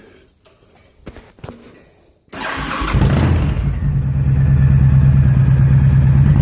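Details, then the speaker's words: 2005 Honda VTX with Cobra slip-ons and newly fitted air intake, cold start: quiet, then fires and settles into a deep, even, loping idle that builds steadily. Healthy; needs full warm-up, then carb fine tuning. "Got to let her warm up thoroughly, and then we'll just fine tune that carb."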